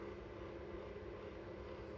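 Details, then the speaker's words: Old Manrose kitchen extractor fan, heard from inside before replacement with an Airflow Icon 60: steady, even, quite noisy roar with low rumble, no rhythm or squeal; weak airflow, barely moves tissue. "And here's the old Manrose from the inside. It's quite noisy."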